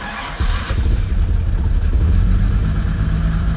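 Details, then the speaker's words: Jaguar E-Type Series 1 2+2, unstarted for about two weeks, in neutral with choke lever raised: after cranking it catches abruptly and settles into a rough, lumpy rumble; it starts harder the longer it sits. "that's my car i mean it didn't start right up now if we came out tomorrow boom it started right up it just seems to be the longer you go the worse it is"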